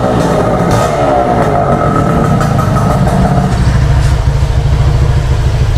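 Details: Motorcycle, hard starting after about a week unused: uneven, blipped running that only continues with throttle held and won't settle into a steady idle on its own; cause suspected, not confirmed.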